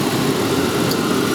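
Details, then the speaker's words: Lincoln AC compressor powered by a jumper from the battery at about 14 V: a steady, even hum with no rattle or grinding; the compressor and its wiring to the HVAC head unit are good. "turn the compressor on which it's now running sh my 14 Volt and you can hear it coming"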